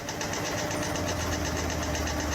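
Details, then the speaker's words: Cadillac Escalade V8 under five years old idling with rapid clanking, rattling and irregular knocking over a steady rumble; motor knocking, cause unclear. "That thing ain't even old enough to be sounding that all that clanking and rattling, knocking, the motor knocking."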